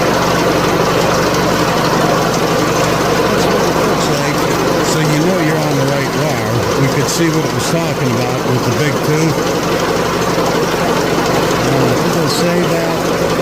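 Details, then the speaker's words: 2004 PT Cruiser 2.4 at idle: a loud, rough mechanical rattle wavers in pitch. A tensioner/timing fault is suspected but unconfirmed, found during cam/crank correlation testing. "car as I press on it you could hear the sound change but I'm hearing something very loud under here"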